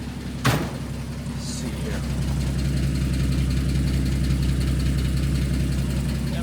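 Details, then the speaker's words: 1949 Chevy FleetLine 216 cu in engine idling after PCV install and exhaust rework: a deep, steady low rumble with the exhaust leak gone and no puffing or ticking; slightly ticky underneath, owner suspects it may need a valve job and the water pump. "Not bad, and I can hear that exhaust leak is gone."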